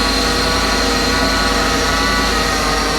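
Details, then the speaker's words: Ford F650/750 truck at startup, checked for leaks: a steady high whine over the running engine, not heard the day before. The power steering pump is suspected of needing replacing, or fluid was possibly topped up. "all right now I hear power steering noise I didn't hear that yesterday at all wow wow [Music] maybe this thing needs a power steering pump"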